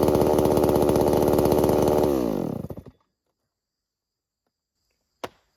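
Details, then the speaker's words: New Holzfforma G388 chainsaw (Stihl clone) during break-in: two-stroke buzzes at a fast, even idle, then dies away on shutdown; idling too high, so the idle is to be turned down slightly. "Sounds like it's idling very high, so I'm going to shut the idle down on it just a little bit."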